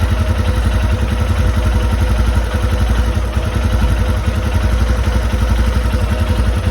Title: Royal enfield Himalayan metallic clicking sound #himalayanlovers #royelenfield #bikelover #himalayan